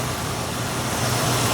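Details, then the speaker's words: Mazda in Brisbane found with almost no oil, idling just after a top-up (possibly burning/leaking oil): smooth, steady low idle with even hum, no ticking or knocking over faint traffic; sounds healthy and quiet. "I want to see how it sounds now oh wow now that is what I'm talking"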